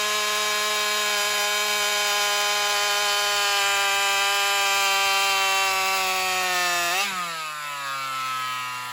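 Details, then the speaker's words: Alcohol-fuelled chainsaw, fuel line already swapped: high steady scream holds several seconds, then pitch sags and drops off abruptly in a long cut; owner suspects fuel starvation, considering a bigger fuel line or metering lever adjustment. "My assumption, I think, is pretty much spot on. She's just, starving for fuel."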